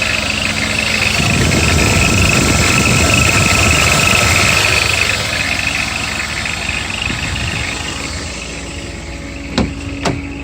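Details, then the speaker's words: BMW E34 M50 idling: quick, fairly even cricket-like chirp high over the engine; belt tensioner mechanism squeaking, not the rollers, which were replaced in vain. "так вот этот звук сверчка он очень надоел достает это у нас виза натяжного ролика"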